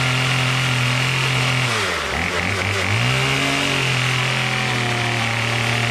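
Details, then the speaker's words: Troy-Bilt TB22 two-stroke trimmer with new carburetor, after tightening loose engine-block Torx bolt (suspected compression leak): crisp buzz sags briefly, then picks straight back up and holds steady; running properly. "now that i tightened that torx bolt it's now nice and tight and as you can see [Music] starts just fine now and it idles great"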